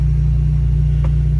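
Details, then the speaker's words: Fiat Strada 1.4 Fire Flex idling: loud, deep, pulsing boomy drone from the exhaust, which is leaking through a holed rear (final) silencer. "barulho que você está ouvindo mais questão é porque o escapamento do carro final o silenciador final ele tá curado"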